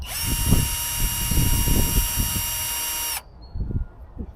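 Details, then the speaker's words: Drill with a steady high whine for about three seconds, labouring under uneven bogging load while a blunt bit struggles to cut, making it very hard to drill. "a bit blunt, so that's very hard to drill."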